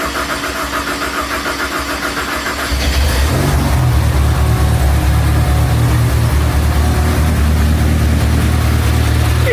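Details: Ford Ecoboost-swapped Nissan 240SX on Link ECU with custom wiring and one-off exhaust, first start after seven months of build: starter whirs, engine fires and settles into a deep, steady, even idle with no misses or knocks; normal start.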